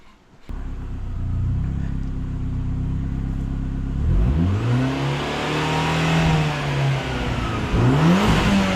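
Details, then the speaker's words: Turbo Panda (scanned as Fiat Bravo 1.4 turbo) after accelerator pedal replacement following a track day, no trouble codes, throttle body heard moving. Smooth idle, then clean revs rising and falling promptly with no hesitation; normal throttle response. "Now that's interesting, because that there is 0.2 of a volt higher than it was, but that's about the same. I can hear the throttle body moving."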